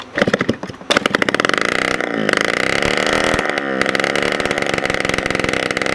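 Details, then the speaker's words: 1987 Honda Aero 50 scooter, first start of restomod after carburetor cleaned and fresh gas, kickstarted with muffler removed: very loud, sharp popping crackle at low idle, revs surge and sag struggling to hold steady idle. "If it fires up with the muffler on, because if you notice, it was super freaking loud, then there's nothing wrong with the muffler itself."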